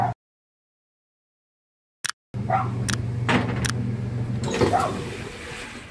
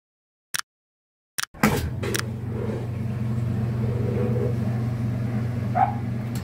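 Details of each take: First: Whirlpool top-load washer after both broken couplers were replaced: steady low motor hum while agitating smoothly, with only a few light knocks. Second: Whirlpool washer motor hums steadily with a loose, ratchet-like rattle but neither washes nor spins; the motor couplers are worn and broken, and both were replaced.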